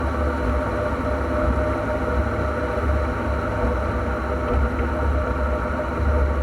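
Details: NP231J transfer case: a heavy, steady, low droning growl with no distinct knocks or clicks. The transfer case is noisy, and the cause is unknown until teardown.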